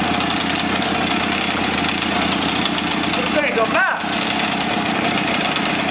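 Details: Echo HC-1600 two-stroke hedge trimmer, revived after sitting a long time: loud raspy buzz runs fairly steady but thin and strained. High-speed mixture screw set too lean.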